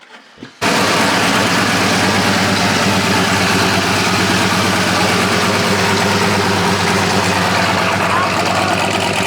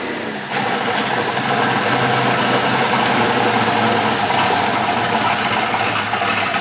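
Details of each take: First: Chevy/GMC Sierra truck with an aftermarket Hellcat fuel pump fitted: it runs loud and rough with a fast, diesel-like rattling knock at idle; owner suspects injector knock from too-high fuel pressure and plans to refit the stock pump. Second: Polaris RZR with a swapped-in Yamaha Nytro snowmobile triple-cylinder engine, running after its fuel issue was sorted; more sensors still to be added for optimal horsepower. Steady, dense, even mechanical note, no knocks or misses; normal running.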